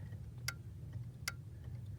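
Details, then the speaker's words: 1998–04 Ford power door lock module, output disconnected: the lock relay gives three soft clicks without a firm, crisp contact, while the unlock relay switches crisply. "It does not make a good crisp contact where you hear the relay."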